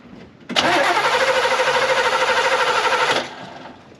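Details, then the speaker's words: 1967 Chevy Camaro that hasn't run, on a group 34 battery: even starter cranking about three beats a second for under three seconds with no firing; no spark found, testing to follow. "all right well we have no spark surprise for everybody so now we've got to do a little bit of testing now I'm not that upset because I knew this car didn't run"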